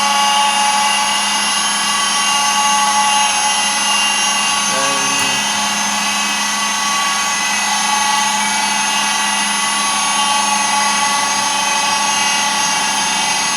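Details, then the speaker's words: DIY router milling machine on its first cut test, spindle machining at constant speed; steady high-pitched whine with a rough gritty edge, owner judges the spindle bearing is not good: spindle bearing noise. "and the sound is not quite good during the machining. Firstly, the spindle bearing is not good."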